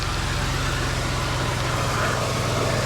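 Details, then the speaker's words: 1999 Ford Taurus SHO V8, previously would not run, now running for the first time, cause unknown: steady, even idle with a smooth low rumble, no knocks or misses; normal idle. "You can't make this up. I can't believe it's running. I cannot believe this is running."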